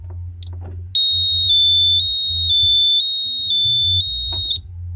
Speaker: but this is the burglar alarm and it's pretty annoying and that's a good thing